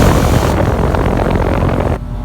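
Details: Rheem air conditioner outdoor condenser fan at about 825–850 rpm: heavy, rough, churning roar, too loud; owner blames a cheap aluminum replacement blade and a defective screw backing out after the fan motor was replaced.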